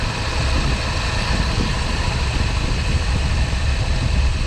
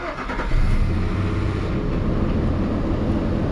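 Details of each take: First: Nissan Xterra, AC on max, 112-degree day, blowing only hot air, burning-clutch smell: thin steady high squeal over the idle; failing AC compressor clutch screeching, it died just after, compressor replaced. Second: Nissan Xterra first start after installing a new A/C compressor (after clutch failure) and a new serpentine belt: starts cleanly and settles into a steady run with no belt squeal.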